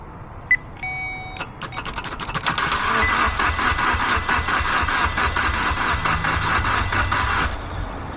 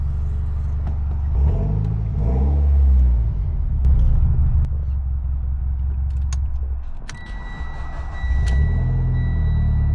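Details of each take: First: Mitsubishi Evo X towed in with no-crank after a replaced key antenna, starter kicked manually via the starter relay: a few beeps, then even, quick cranking for about six seconds without catching; immobilizer suspected, not confirmed. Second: Mitsubishi Evo X, previously no-crank following key antenna replacement: engine catches promptly and settles into a steady low idle with light throttle blips; starts and runs normally.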